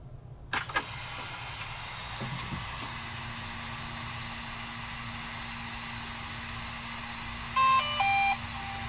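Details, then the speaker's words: DJI Mavic 2 Pro drone that landed in a sand pit, motors packed with sand and seized: steady low hum at power-on, then a short rising three-note DJI chime. Normal startup, indicating the speed controllers (ESCs) are good. "and if we get the DJI sound that means the U sc's the speed controllers are are good if we don't then then we'll have to decide what to do what we want to do from there"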